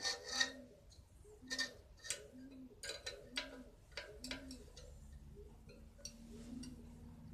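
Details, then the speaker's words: Bicycle with V-brakes: a bent (out-of-true) wheel rim rubs the brake pad. A soft swishing rub comes once per wheel turn, roughly every second, as the wheel slows. The fix is truing the rim by tightening spokes. "เวลาปั่นไปแล้วจะมีเสียงล้อสีกับเบรกนะครับสาเหตุ1ก็คือล้อดุ้งนะครับมันเป็นยังไงมาดูนะครับมันจะมีเสียงฟึดๆึฟึดๆไปเรื่อยๆงี้ครับ"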